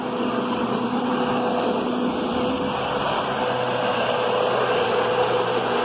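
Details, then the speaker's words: Kenmore Progressive vacuum running: steady roar with a faint constant tone as the brushroll spins, seemingly skimming the carpet or not making proper contact; odd brushroll noise, cause unclear. "you can hear that brushroll it's making contact it's not like a curvy brushroll world this is kind of skimming the top or either swallowing it in too much or or just not hitting it"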